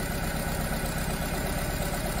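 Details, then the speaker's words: Nissan Tiida/Versa petrol engine misfiring at idle with no fault code: slightly rough uneven beat; disabling injectors by scan tool, cylinders 1–3 stall the engine, cylinder 4 changes nothing, so cylinder 4 is not working; coils and injectors under intake manifold. "is happening to the engine performance so the problem is from cylinder number four"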